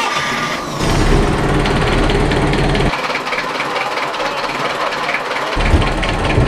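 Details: Boat inboard engine run at the dock after a raw water pump rebuild and thrust bearing set screws torqued: a steady low rumble with an even beat and no knocking or grinding over water noise. Normal running.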